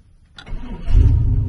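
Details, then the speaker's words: 1998 Chevy C1500 extended cab, 5.7 Vortec after the LS coil conversion with 24x and 0411 PCM swap, running the stock F-body tune untuned: quick start, then a choppy, pulsing idle like a big cam. It is rough, pending a tune. "Turns on quick, but it sounds shitty. It sounds like it's chopping, boy. It sounds like I have a fat cam in it."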